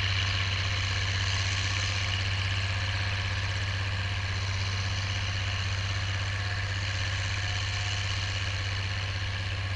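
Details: Oliver 1550 tractor pulling a John Deere BW disk after whatever was in the fuel system cleared out; a deep, even drone with a regular low throb and no misfires or knocks. Normal running under load.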